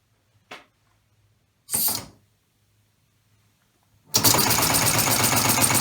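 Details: Homemade 3-cylinder orbital compressed-air engine with single-shaft push-pull valve, running unloaded: bursts of air, then fast even clatter about three slaps a second; slippers slapping, expected to stop once load pressure is applied.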